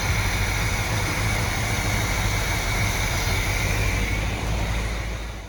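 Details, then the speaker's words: 1970 Chevy C20 truck V8, restarted with timing sounding right, low fuel: smooth, steady idle with even low rumble, no misses or ticks, a healthy normal idle. "let's start it up again the timing sounds perfect that's a good thing"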